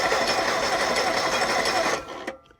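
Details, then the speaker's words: Ford Pinto four-cylinder converted to propane, driving a farm well pump after sitting for months, just after an oil change: fast, even cranking with no firing, then it stops. Owner suspects air in the system or that it needs full throttle. "maybe it needs more more juice oh there it was I think it was just air hey it rolled over I think maybe it needs Full Throttle to"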